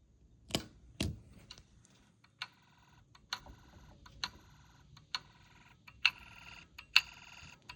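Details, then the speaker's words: Snap Circuits hobby fire alarm panel on call point activation: the toggleable meter clicks with sharp, irregular ticks about once a second, some ringing bell-like, in a quiet room; normal. "All right, let's give it one more uh call point activation. Let's make this satisfying."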